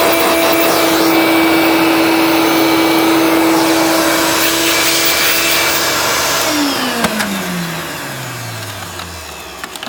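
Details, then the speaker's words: Hoover Turbopower hard-bag upright vacuum cleaner (1980s–90s) with 460 W motor: steady high motor whine for several seconds, then pitch slides down as it spins down; sounds healthy, normal running. "It is actually, let me just check, does still have a 460 watt motor, so it actually sounds okay."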